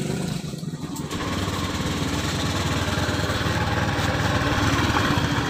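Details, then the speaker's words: 2015-2016 Honda Beat eSP scooter: coarse, gritty rumble with uneven rattly beat when throttled up, not felt at idle; worn, broken variator rollers found in the CVT. "kalau di langsam sih nggak berasa tapi kalau gas berada di petot rasa kasar tuh"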